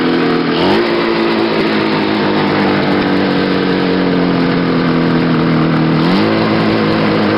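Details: Restored and modified 1970 Ski-Doo Nordic snowmobile two-stroke: raspy buzz at a steady speed, picking up sharply twice and dropping back cleanly, with no missing or knocking.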